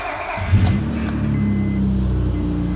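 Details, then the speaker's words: 2005 Honda Odyssey after timing belt, water pump, rear catalytic converter and engine work; first start into a loud, rough idle with a raspy exhaust leak, because the catalytic converter joint is not fully connected. "i expected that exhaust leak that catalytic converter is not completely connected"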